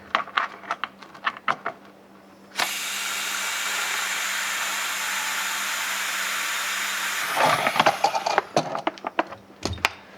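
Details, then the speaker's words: 3D-printed 4-stroke compressed-air engine on a 20 psi test: clicks, then a loud steady hiss about five seconds with no running beat; air leaking past the unseated ball valve because the push rod is too long. "so i've done a little bit of troubleshooting the ball valve is actually seating just on this it's seating on the actual o-ring the problem is the push rod is too long"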